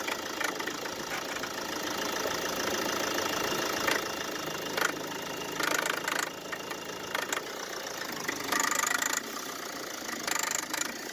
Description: На холодную пищит и стучит крепление кондиционера.